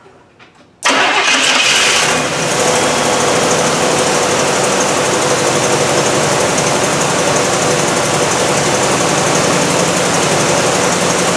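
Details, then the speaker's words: 1968 Cadillac DeVille convertible with a new Amazon aftermarket carburetor, cold start. Loud, uneven idle that wavers as if struggling, won't maintain idle: rough cold idle, cause unconfirmed. "so you can hear it doesn't want to maintain an eyeball"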